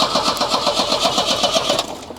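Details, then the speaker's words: Volvo 245 engine cranking during an ignition coil check: brisk, even starter cranking for about two seconds without catching; crank no start, with a lack of fuel suspected. "Which leads us to fuel. I'm thinking I'm not getting any fuel up here."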